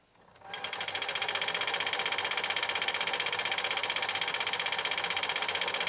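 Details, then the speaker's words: 1980s New Home SL2022 all-mechanical 1.0 amp sewing machine, about 31 years old, after bench repair, decorative stitch: crisp evenly spaced ticking spinning up to a steady fast rate, no knocks or skips; stitching smoothly. "well it definitely qualifies after being on my workbench and it is doing just a spectacular job"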